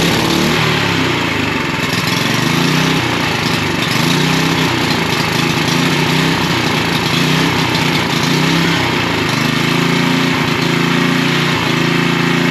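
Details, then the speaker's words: Troy-Bilt 6.75 HP tiller, model 21A-644H063, engine running steadily after starting with starting fluid: rough rattling knock over the exhaust note from the back side, caused by an overlong guard bolt striking a moving part. "there's something that's knocking and rattling from the back side while she was running I don't know exactly if it's hitting something under here or what but it definitely made a rattle"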